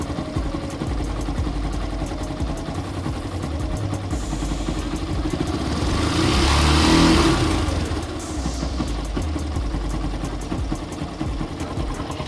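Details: Yamaha FZ-S style single-cylinder bike engine: uneven mechanical clatter over the exhaust that swells when revved and settles back, a loose flywheel magnet rattling.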